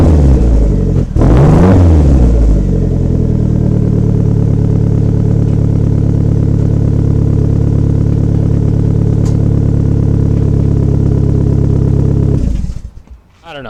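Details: Unspecified car after rebuilding damaged piping with new pipes and resonators, no mufflers: fires up with throttle blips, then settles into a deep, loud, steady rumble; an even, healthy exhaust note after the repair.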